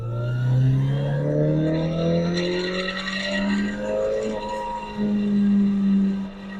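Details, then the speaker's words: Toyota AE86 with aftermarket short shifter, driving at high RPM; engine pulling hard with a faint buzzy shifter rattle that stops when a hand rests on the shifter, prompting a return to a rebuilt stock shifter. "so you can clearly hear it the rattle it's really annoying I mean it goes away if you put your hand on the shifter"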